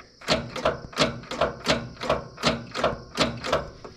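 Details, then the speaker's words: Caterpillar 977 track loader after sitting 12+ years: sharp, even clicks about three a second with no cranking; starter motor itself cranks fine, solenoid not making contact (dirty or burnt contacts suspected); solenoid clicking. "so it's just that solenoid not making contact"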